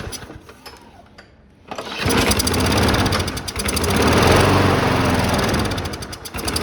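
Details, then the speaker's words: Cheap abandoned Briggs & Stratton-type lawn mower with no prime button, fuel restriction or vacuum issue suspected: small engine catches and runs unevenly, surging, then quits after about 30-45 seconds and smokes more the longer it runs. "well that's very very much like she did the first time we got her started you'll recall she ran about 30 45 seconds and quit"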